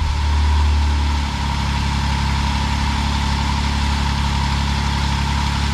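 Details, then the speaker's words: Jeep Wrangler JK 3.8L after new throttle body, MAP sensor and EGR valve, previously cranking without firing: catches within a second and settles into a steady, smooth idle; normal start and idle. "there you go it's running"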